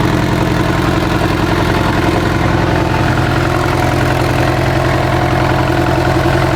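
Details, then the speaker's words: Abandoned Mitsubishi Evo 8 being built for 800whp, first start without radiator or coolant: steady even idle with smooth low thrum, no knocks or ticks; normal idle. "I'm gonna fire it first with no radiator and no coolant and all that good stuff. Run it for maybe 30 seconds max just to make sure everything sounds good."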